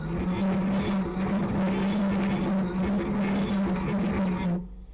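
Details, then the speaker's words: E-bike project, wheel fitted with 3D-printed PLA planetary gears (20% infill): loud steady droning whine with gritty rasp while the wheel spins, stopping when it stops; the gears make a horrible loud noise. "so now I install that wheel it's it's turning but it's horrible noise making [Music] [Music] not cool so these gears making really loud noise"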